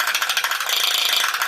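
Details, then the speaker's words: Vintage all-plastic-gear walking Space Robot (Rotat-o-matic TV version), eyes lit, walking: fast, even plastic gear clicking around sixteen per second with no slips or skips, gear train running normally despite gears prone to cracking. "But listen to that clicking, isn't that cool?"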